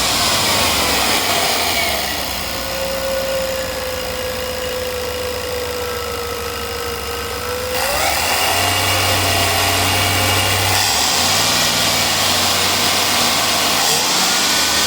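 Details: Chevy 5.7 at idle and revving: thin steady whistle from around the throttle body that climbs in pitch with revs; source of the whistle unknown.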